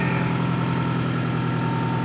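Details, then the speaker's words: 2002 Toyota Camry 4-cylinder, cold start at 7°F: fast, light ticking over a rough cold idle right after start-up; cold start valve clatter. "Oh, did you hear the valve clatter? Holy shit! Oh, that was not cool at all."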